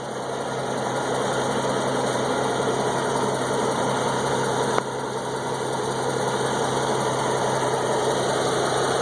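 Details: Engine idling with a fast, light tick, about four per second: exhaust leaking through a small gap where the gasket on aftermarket high-flow catalytic converters, fitted a couple of years earlier, partially disintegrated.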